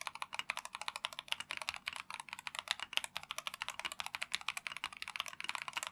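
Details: Typing test of a Tecware Phantom+ RGB mechanical keyboard with Rage Orange switches (tactile, brown-like, 45g actuation): quick, even taps at about eight per second, soft and muted with no hollow ping or rattle; normal typing sound.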